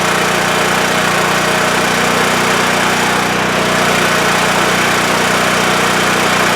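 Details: WEN TF1450X 14500W tri-fuel generator after repair of a 20-second shutdown with loss of spark: loud, steady drone with no surging, hunting or dying out; running normally, display shows 232 volts.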